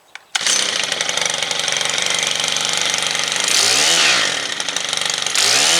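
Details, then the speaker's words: Stihl trimmer after clutch service, where a seized clutch was cleaned and reassembled: high, even two-stroke buzz revving up and dropping back cleanly with no grabbing or dragging; normal running. "all right well that's all it was a seized up clutch"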